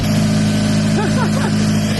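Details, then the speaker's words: Turbo Mazda Miata after correcting the exhaust cam timing, which was one tooth off, and loosening overtight belts: strong, even engine note with a clean, responsive rev and no tapping or ticking. Normal revving. "Yeah, this is good. Let's go. It sounds so responsive, too. It sounds really good."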